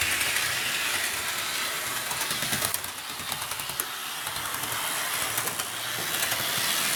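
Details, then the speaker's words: Athearn RTR C44-9W locomotive, BNSF 1096, running a loop of the layout after replacement with a new Athearn RTR motor: light, high whirring with soft rhythmic track clicks, a bit noisy but no grinding or stutter; runs great. "all right it runs great there it is it's a bit noisy but it's all right let's just do one whole loop around the layout"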